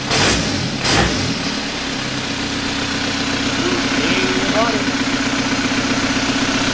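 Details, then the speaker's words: 1991 Toyota pickup with swapped 1.9 L ALH TDI turbo diesel from a 2000 VW Jetta, warm with oil cooler thermostat opening. A couple of clunks, then the diesel catches and settles into even idle, steady clatter about four beats a second. "so yeah this thing runs so now it's just a matter of I'm gonna tidy up all this harness"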